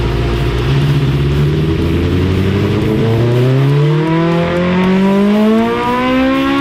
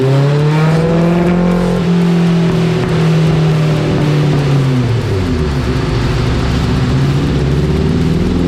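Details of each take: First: Dyno pull on a 1987 Suzuki GSX-R 1100 carbureted four after carb cleaning and rejetting: clean, steady rise through the revs with no misses or flat spots; the last run was smooth, the one before a bit choppy, air/fuel good. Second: Dyno pull on a 1987 Suzuki GSX-R 1100 carbureted four: thick, muffled note climbing then easing off, running very rich; carbs cleaned and jets going down several sizes to lean it out.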